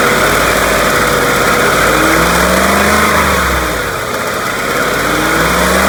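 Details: 2018 Ford F-150 5.0 Coyote Gen3 V8 revved slightly from 1,200 to 2,000 rpm: light tick rides on engine note as revs rise, none at idle; owner suspects the known BBQ tick, unconfirmed.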